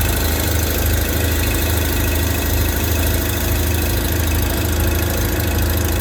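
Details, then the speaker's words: Customer's tractor with 15-40 Rotella diesel oil, just started cold after 10°F overnight: deep, steady throb at an even beat with no misses or knocking. Normal idle. "starts no issues with the 1540 10° all night this fired right up"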